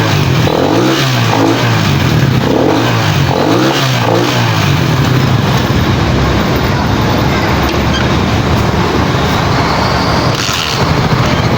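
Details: Pantra-type motorcycle, formerly very hard starting, after converting to a Lihua 4-pin CDI on a primary-type stator: strong, steady engine note with a few early revs, no stumbling or cutting out; ignition firing properly, starts easily.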